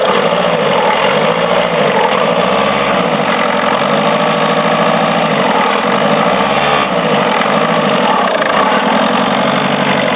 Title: Citroen C4 strange engine noise